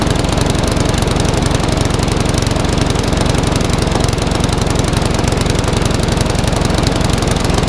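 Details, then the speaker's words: Classic Briggs & Stratton 3.5 hp mower (red one) just started, previously tipped on its side with fuel over the carburetor: slow, lazy chugging without surging, under speed; owner may change top governor spring. "That last red one just wants a little fine tweak. I may even change the top govern spring yet. It's not quite running as fast as I would like."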